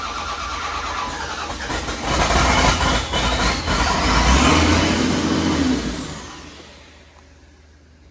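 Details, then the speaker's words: Cat 930G loader after reconnecting a missed engine ground wire that cut ECM communication: engine catches and climbs straight to a sustained high-rev full-throttle roar with no idle, caused by a hung throttle pedal. "Fire it up, but it sound like it went full throttle. That's not good. Turns out the throttle pedal was hung."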